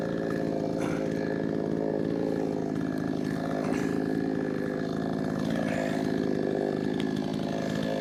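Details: Brand-new, unbroken-in Wemars 6220 clone chainsaw on shakedown run holds a strong, steady howl while cutting wood, pulling evenly without bogging; loud, powerful, revs good; normal running under load.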